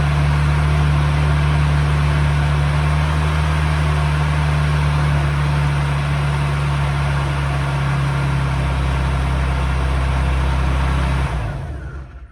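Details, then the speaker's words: Procharger-supercharged Nissan 350Z at idle, before the new belt is fitted: a lumpy idle with a rough fluttering hum and no clean steady tone from the slipping supercharger belt, then shutdown. "I just realized we never even started this thing up so that you could hear how bad the belt is so we going to do that real quick right now"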